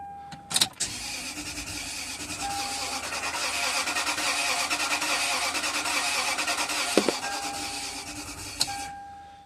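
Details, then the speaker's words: 2005 Toyota Sequoia towed in with crank-no-start, battery just replaced: starter spins engine at roughly three beats a second with a slightly inconsistent, uneven rhythm but never fires; cranks, won't start, before scanning codes and scope checks of spark and fuel. "and not sure if you can tell it sounds a little bit uh inconsistent but we'll go ahead and start scanning it and see what codes we get"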